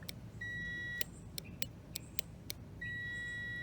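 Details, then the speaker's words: New starter relay for a Toyota Matrix with a no-crank fault, bench-tested by powering the control pins while probing the switch pins; sharp clicks with the continuity meter's steady beep; relay switches cleanly and is good; normal relay click. "alright my control pins are the ones that are parallel and he's gonna probe the other two we're gonna hear the click"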